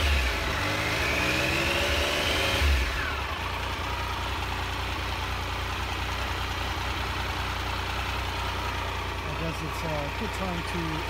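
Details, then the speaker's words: 2001 Triumph Sprint RS 955i three-cylinder warming up after a distilled water and vinegar coolant flush, temperature about 98 and nearing the 100 fan point: a short rev, then a steady, deep, diesel-like chugging idle. Healthy. "to enjoy the idle sound of the trunk 3-cylinder engine. It sounds just like a diesel machine."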